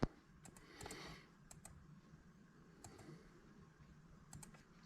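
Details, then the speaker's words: 1978 Chevrolet El Camino with LQ4 LS engine and 4L60E transmission, pan off, shift solenoids commanded on and off in a quiet shop: crisp clicks, often in pairs, about every second; solenoids working normally. "You see them right here clicking on and off. So third is both of them off. First is both of them on. And you can actually hear them both click in."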